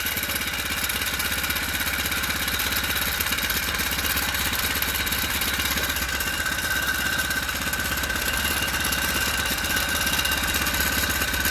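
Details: Four-stroke motorized bike running on the stand after fitting a frame-mount floating idler spring tensioner: fast, even beat with only light chain chatter. Chain vibration much reduced versus the previous pulley, though not perfect.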